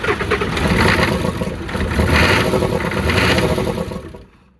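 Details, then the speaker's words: Ford F-350 diesel that sat 19 years, first start, fan clutch noted as bad: engine clatters through three throttle blips, rising and falling unevenly before shutting off; rough running, health doubtful, cause not confirmed. "I don't know if that sounds healthy"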